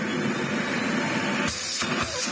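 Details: Miele CX1 Comfort XL bagless cylinder vacuum after service for loss of suction: steady, even rushing hiss of strong suction with a couple of brief dropouts near the end; airflow restored, slight air leak noticed.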